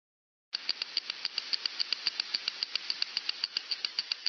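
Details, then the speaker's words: Slow-speed bearing heard via ultrasound, with readings above alarm levels: sharp regular clicks about 3.7 per second over a steady hiss. Impacting from an outer race defect; the bearing was later greased. "the alarms are set up then you can see us as expected here which of course means we have a problem of course we have this kind of impacting also we'll listen to very briefly"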